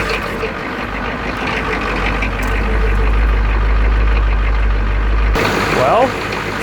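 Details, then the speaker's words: Turbo Ford 6.9 IDI diesel that was seized about a week and a half earlier, now revived. Steady, even diesel clatter at a settled idle with no misses or knocks: healthy, smooth running. "pretty healthy especially for being stuck like a week and a half ago well she purs like a kitten"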